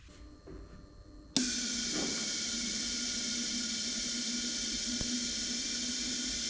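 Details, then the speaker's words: Kawasaki KRX1000 fuel rail flow test, fuel pump powered and both injectors held open by jumper wires into marked cylinder bottles: steady even spray hiss, no sputter. "then we'll open up the injectors with those jumper wires to continue the flow evenly between the those two fuel injectors and we'll see what happens"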